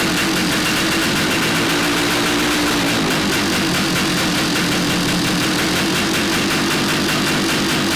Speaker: Sounds just like a DT400, got a lot of piston slap. You can hear it ringing in the top of the cylinder head, so I think although the compression's good, we'll definitely give it a rebore